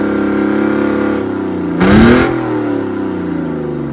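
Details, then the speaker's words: Detroit 6V53 two-stroke diesel in a Kenworth/RFW 6x6 off-road garbage truck with Allison automatic, restarted after sitting at least four years: steady, even drone with a brief rev rise and a rush of air; brakes release, gears engage, and it runs well. "Well, the brakes are releasing and it's going into forward and reverse gear quite okay. The motor's also running quite well."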